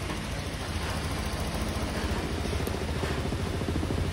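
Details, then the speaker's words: Honda Click 125 V2 scooter after overhaul, engine still cold, coolant being bled from the radiator: low, steady idle with an even pulse and no metallic grinding as heard before; quiet, healthy engine. "Hindi na siya tunog bakal na nagigiling mga sir. Tahimik na po ang makina niya. Parang brand new na po ulit na manakbo."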